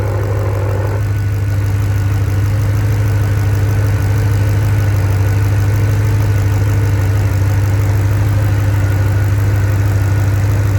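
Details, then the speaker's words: P38 Range Rover V8 idling on LPG after switching over from petrol; the gas injectors make a distinct sound, with a smooth, even low rumble and no misses or knocks. A light gas smell is being traced. Normal idle. "We're on gas now. So you can hear those injectors make a distinct sound that's a bit different to normal ones."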